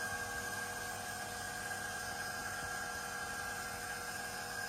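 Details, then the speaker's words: Automatic fiber filter control head (6,000 L/h) switching to automatic flushing mode: an even, steady motor whine with clear fixed tones and no knocks or grinding; the valve drive motor is running normally. "once we've gone you can hear the motor running once we've gone over to the automatic flashing mode"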